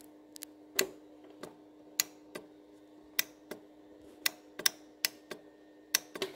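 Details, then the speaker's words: Cub Cadet LT1045 lawn tractor after carburetor replacement and tune-up: crisp clicks over a faint hum as the key is switched; the fuel shutoff solenoid plunger blocks the carb when turned off, keeping fuel out even if the float sticks; normal solenoid click. "Just right here, when you turn it off, the pinel comes up and blocks the carb. Not only do I have a shutoff, but that's what keeps the fuel from running into the carb, even if your float is jacked up. So that works."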